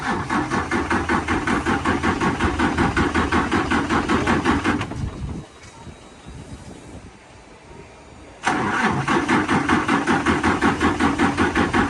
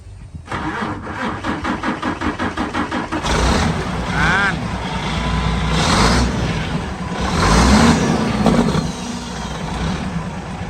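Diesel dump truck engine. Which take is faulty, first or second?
first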